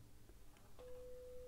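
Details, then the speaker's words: 1958/59 Loewe-Opta Magnet 3737W tube radio, 500 Hz 1 V peak-to-peak signal injected at pin 7: a clean, steady mid-pitched tone comes from the speaker with no hum or crackle. Output transformer is fine. "we've got a tone coming out of the speaker that means that our ARA Transformer is fine"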